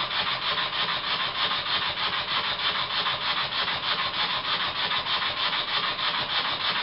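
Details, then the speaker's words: Old Bassett-Lowke steam plant engine resembling a Stuart S50 with metric fasteners, run on compressed air after valve timing set, air leaking at the pipe on the steam chest cover: quick even chuff about three a second with steady hiss; runs strongly. "I set the valve climbing fairly accurately and I'm surprised that it runs this well there's plenty of power as well"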